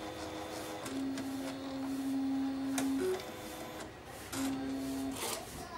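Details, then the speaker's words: A3 DTG UV flatbed printer with Epson SC-P400 board and DX7 head, head not at home position, at power-on: motor hum, carriage whirring and click bursts, head stalls then stops with error 52H (paper jam), also 71H; APG sensor suspected. "เอาล่ะนี่คือข้อผิดพลาดที่มันแสดงขึ้นนี่คือข้อผิดพลาดและหากฉันลองตรวจสอบที่หัวพิมพ์ตอนนี้ก็ไม่ถูกล็อคอีกต่อไป"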